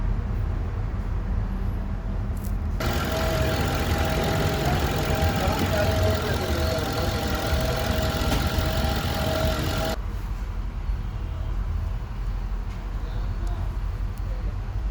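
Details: 2006 Ford Grand Marquis V8 idling: uneven, stumbling low rumble from a misfire; injector suspected, not confirmed.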